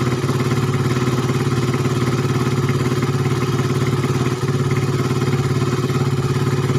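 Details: Suzuki Satria FU 150 cc after correcting a cam chain replacement with wrongly set timing (top): steady, even single-cylinder beat at a quick idle, about 3.5 pulses a second, no misses or clatter; previously erratic idle, rough, weak, fuel-thirsty.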